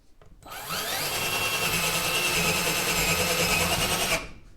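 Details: Black and Decker LDX120 drill in forward on drill setting boring through wood: steady high-pitched motor whine with faint chatter as the bit cuts, smooth and even; drill working normally.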